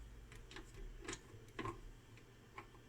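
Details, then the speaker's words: Tucker Davis Technologies modular audio DSP test set drawing 33 W: irregular light ticks and scratches over a faint hum from inside the unit, apparently the cooling fan, as if something is rattling around in it. "it's loud and weird and I don't see any holes so where the heck is this fan sounds like there's a Moses spreading around in it"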